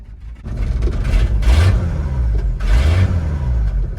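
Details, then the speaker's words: 1979 Ford F250, revived after sitting abandoned, now running on the mechanical fuel pump and charging: two clean throttle blips rising and falling smoothly over a deep burble; normal healthy running. "oh it's charging it's like this thing was parked last week it's way too nice way too easy"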